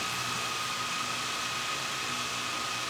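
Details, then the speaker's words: DJI Mavic Air 2 on stock propellers idling on a table: smooth, steady whirring with one constant high tone, holding solid in place and not shaking, in contrast to Master Airscrew props that made it vibrate on hard surfaces. "very solid okay one more time with the mavic air 2. stock props and again holding solid in place not shaking at all"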